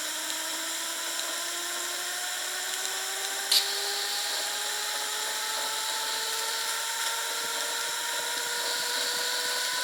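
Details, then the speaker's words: Wilesco T115 model steam turbine, first run with the throttle cracked; thin, clean layered whine climbs slowly as the rotor gains speed, with no rubbing or grinding. Barely revving, bearings good. Normal running. "All right, this is barely revving out at all, but we have got ourselves a spinning turbine."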